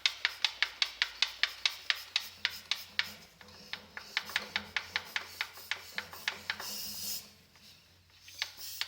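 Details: Saab 9-5: a sharp, regular tapping, about three to four a second, over a faint engine hum; an audible engine knock.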